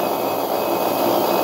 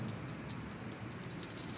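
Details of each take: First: Refrigerator compressor motor direct-started without PTC relay and overload, start and run windings bridged via a push button: loud, steady, even hum with no knocks or stutter; running smoothly. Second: Refrigerator compressor that won't start: the removed PTC start relay, shaken by hand, gives a loose tinkling rattle like a small bell; relay broken inside and useless.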